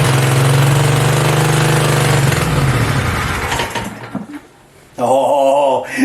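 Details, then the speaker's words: Home-built V-twin mini bike (generator engine) on its first start after exhaust install, belt off and throttle knocked up so it may idle high; runs at a fast, steady idle with an even low beat, then winds down: normal running. "she sounds sweet you guys this thing is awesome"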